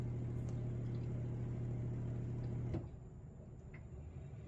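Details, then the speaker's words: Miele G6625 dishwasher bought April 2018 (about 7.5 years old), solenoid valve replaced earlier: steady low rough grinding drone with hum from the circulation pump motor, cutting off abruptly. Owner suspects debris in pump or failing motor bearings. "So, it's filling with water right now. But once it starts stops filling and the circulation pump motor starts up again, same noise is going to happen."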